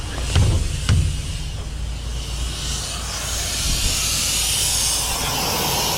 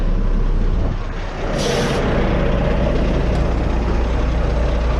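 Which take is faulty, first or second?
first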